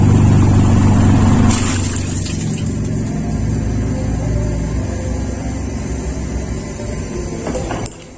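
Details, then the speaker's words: Toyota Kijang Super petrol engine with points-type distributor (delco platina) after water poured on it: uneven rough idle sagging and dying within seconds; stall, owner suspects poor spark plug caps still leaking. "Oke, jadi mati itu tadi teman-teman. Kemungkinan paling besar adalah cop-cop busi saya itu nggak bagus. Ini masih bocor, masih bocor,"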